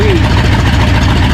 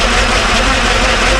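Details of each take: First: Ford F-100 after a V8 swap: steady, even low V8 burble at idle with no misses, knocks or stumbles. A running problem turned out to be the carburetor, and it now idles normally. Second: Ford F-100 after a V8 swap, new bracket fitted: steady V8 idle with a constant high whine from the timing gears riding over it.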